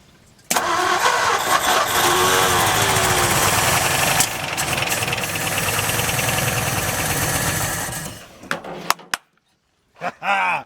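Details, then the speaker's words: 1955 Ford F250 V8, first start in 30 years, fuel poured in, one cylinder low compression: few cranking beats then catches, runs rough and uneven, surging before cutting out; ignition timing needs adjusting, some lifter noise from unpumped lifters. "First start in 30 years. You know, timing needs to be tweaked a little bit, and you know, having to dump gas in and getting my eyeballs filled with dirt from the old radiator."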